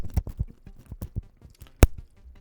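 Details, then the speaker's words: Sennheiser 416 shotgun mic: irregular low thumps and crackles with a sharp crack when the mic body is moved, from a loose capsule screw rather than the boom cable. "Yeah, it shouldn't be creating that noise or peaking, so it's crackling."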